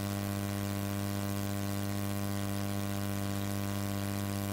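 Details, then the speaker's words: JTS MA-123 attenuator feeding a mixer at line level, recorded on a Zoom recorder: constant low buzz with higher harmonic tones; mains hum, suspected cause a powerful router or room static, unconfirmed. "I get this buzzing humming sound. I'm not really sure why, if there's some static in the room here."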